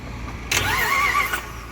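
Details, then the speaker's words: Auction-bought Jeep Grand Cherokee 4x4 trade-in, jumped from dead battery: about a second of starter cranking that never catches; code reader found nothing, possibly due to the weak battery; crank no start. "let's try it again all right the mystery remains we're really um coming up empty-handed except the fact that the car cranks is a really good sign"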